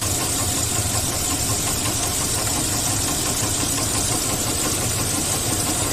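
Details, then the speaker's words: Engine that blows blue smoke from the exhaust, idling: a light, steady knocking keeps pace with engine speed. Excessive wear lets the pistons rock in the cylinders, causing piston slap, and the disassembled engine needs a rebuild. "por eso Por esa razón eh tenía un pequeño ruido no en el motor no sé si han podido evidenciar en el momento de funcionamiento un pequeño golpeteo y eso ocasionaba estos pistones"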